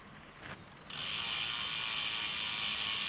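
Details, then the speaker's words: Twitter road bike, new, after adjusting the mechanical disc brake caliper position with the two Torx caliper screws: spun rear wheel gives a fast, even freewheel hub ratchet buzz with no pad rub or scraping; normal. "Ni untuk adjustment position caliper ni lah. Kita dengar bunyi hub dia."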